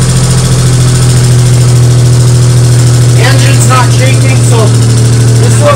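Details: 1998 Geo Metro idling after head and valve repair on the previously dead first cylinder, refilled with coolant: a steady, even low hum with no misses or stumbles, running smoothly without shaking; normal idle.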